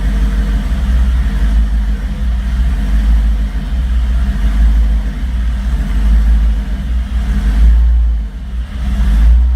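Deep, loud idle that surges and stumbles unevenly, with a few blips of throttle; the engine isn't holding a steady idle.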